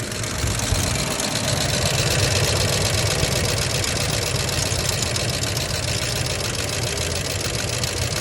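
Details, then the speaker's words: 1990 Ford F-150 XLT Lariat 5.0 V8 at idle: loose, uneven ticking knock about three beats a second that rises with rpm, heard underneath and clearly up top; owner doubts lifters or rod knock, cause unknown. "I don't think it's a rod knock because yes you can hear underneath however you can hear it really well up top too"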